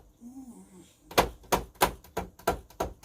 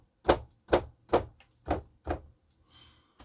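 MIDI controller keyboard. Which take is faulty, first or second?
first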